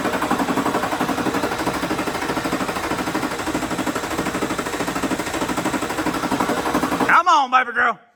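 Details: Duramax LLY diesel truck after eBay injector swap, hand-priming fuel between attempts; starter churns at an even four compression beats a second but never catches; crank no start with air still in the fuel system.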